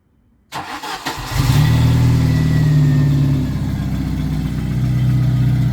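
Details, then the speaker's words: 1991 Jeep Wrangler YJ 2.5L four-cylinder after a new Flowmaster Super 44 exhaust run out the back, with exhaust sealant added. Short crank, then a steady, even idle with no puffing or ticking, much quieter than before. Normal idle. "much better yeah sounds better much better that's that stuff really worked that's awesome dude that's so much quieter with it going out the back than when we started it"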